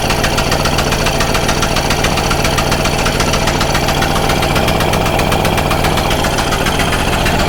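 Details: Stihl Magnum BR800 two-stroke blower at full throttle, after the high-speed needle is turned in a little: steady, high-revving buzz, even and unbroken, with no surging or dropouts. The engine is running normally.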